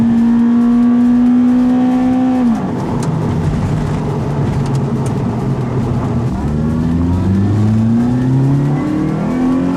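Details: Toyota Celica GT-S (2000–05) after installing an Injen IS2045P short ram intake, with TRD exhaust, warmed up and driving: steady cruise drone drops off on a lift, then throaty exhaust and intake roar climbing through the gears; runs clean, normal.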